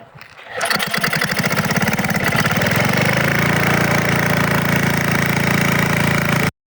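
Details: Craftsman snowblower single-cylinder engine, just fitted with new carburetor, full choke, two primes: one pull and it catches, settling to a steady even putter at quick idle, running healthy.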